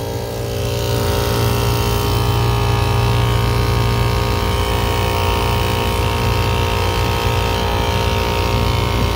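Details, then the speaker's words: AC compressor in over-100-degree heat, charged with good pressures, while a couple squirts of oil are slowly added: steady heavy low hum with uneven rough churning, quieting slightly after oil; cause unclear, oil level unknown. "don't want to put too much oil in there because we don't even know if it's low but it just sounds like crap you know"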